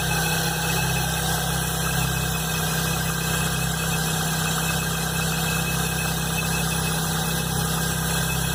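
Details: Chevrolet Blazer at cold idle with an uneven, fluttering low rumble and faint irregular beat, starting the morning after the timing belt and alternator belt were replaced; cause unknown.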